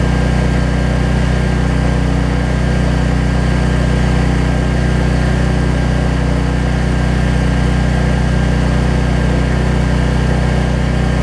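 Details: Troy-Bilt 550-watt generator, after a no-spark fault was traced to the low-oil sensor module; idles with nothing plugged in, a steady even small-engine drone at constant speed with no misses, knocks or surging.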